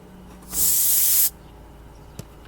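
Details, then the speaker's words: 2005 Honda Pilot with AC not cooling, recharging R134a after expansion valve replacement and vacuum: brief sharp hiss of refrigerant escaping at the can tap valve, probably not tightened enough; refrigerant hiss leak. "Well, that shouldn't be leaking out of the top of that. Let's see what's going on. Maybe I don't have it tight enough."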